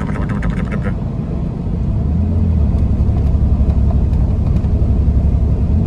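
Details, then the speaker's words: 1997 Chevrolet Camaro RS 3.8L 3800 V6 under 2000 rpm with throttle applied: a deep rumble stumbles unevenly as gas is added, with a blinking check engine light and code P0305; a cylinder 5 misfire from a bad ignition coil that had tested good. "so here we are under 2000 i'm gonna give it some gas yep bad misfire i don't know if you can hear that but it's just gone"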